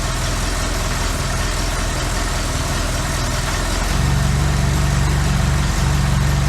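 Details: Classic Austin Mini, first start in 9 months with basic ignition timing just set: steady, even low-pitched engine beat that smooths and firms up after a shift clunk near four seconds, once moved from reverse into neutral; healthy idle.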